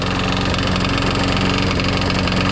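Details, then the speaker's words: Craftsman Eager 1 mulching push mower engine after carburetor replacement and priming: rough, uneven idle with a steady low knock under the exhaust note, some smoking, blade not hitting; cause of knock unknown. "yeah you sound like you got a knock in it it's running kind of rough kind of smoking I mean it's sound bad but it actually doesn't look too bad it sounds rough though"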